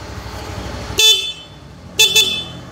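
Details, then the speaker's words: Yamaha Mio M3 scooter horn after a horn relay is installed: two short, strong, steady high-pitched toots with clean start and stop, louder than without the relay. Healthy horn. "ini belum dibangun bunyinya jadi makin keras"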